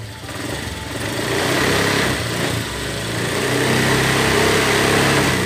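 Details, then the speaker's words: Honda Vario 125 scooter after seizing from running out of oil, rebuilt with new 0.25 oversize piston, left to settle about a day and ridden; revs smoothly up and down, clean even buzz, no knocking or smoke; normal. "sudah normal seperti semula jadi enggak berbentuk tidak ngebul jadi sudah normal nah ini hai hai hai Hai suaranya juga halus"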